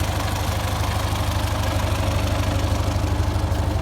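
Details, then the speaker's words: 1951 Ford 8N tractor after complete engine overhaul, previously knocking in the upper engine from a loose #2 cylinder sleeve: steady even low idle, regular firing beat about three per second, no knock; normal idle. "This is what she sounds like now. Hard to believe that a tractor that's built in 1951 makes it like 68 years old, man. It's still knocking along."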